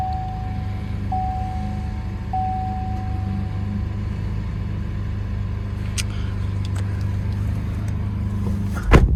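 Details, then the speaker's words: Chevrolet Colorado V6 pickup at auction, walk-around: smooth, even low rumble settling into a steady idle with no knocks or misses; feels smooth in reverse and drive; normal idle. "Sounds okay. Reverse. Feels really good. Drive. Feels really smooth."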